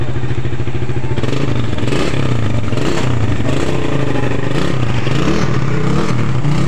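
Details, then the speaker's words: Suzuki Satria FU single-cylinder after fixing a flooding, dripping carburettor by lapping the float needle seat with a matchstick and grinding compound: settles into an even, steady beat with clean throttle pickup and no flooding. Runs normally. "Setelah itu kita pasangkan ke motornya kemudian kita tes semoga saja aman ya guys"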